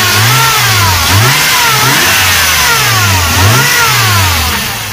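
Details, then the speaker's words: Toyota 1JZ-GE engine revved as it warms up: a thin, high squeal rises and falls with each rev as the drive belt tensioner pulley squeak returns. "звук уже опять появляется так что вот один покупатель новые натяжители ролики"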